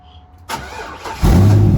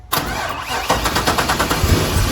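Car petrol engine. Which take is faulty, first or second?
second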